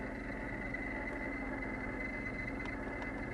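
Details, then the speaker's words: 2008 Mercedes-Benz CLS 550 with the engine running: the worn AC blower motor, already oiled once, squeals constantly from below the passenger-side glovebox, and the squeal rises and falls with the fan speed. "it's coming right from the passenger side below the glovebox you can hear it the squealing and squelching increases and decreases"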